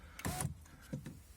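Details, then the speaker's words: Skoda Octavia A5 front power window after spraying the squeaking lower regulator roller with WD-40 and greasing the guides: two short, even motor hums, no squeak or scraping; runs quietly, normal operation after the fix. "Сейчас вот работает тихонечко. Слава богу, ничего не пищит."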